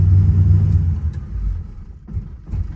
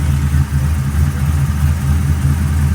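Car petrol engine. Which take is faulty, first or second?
first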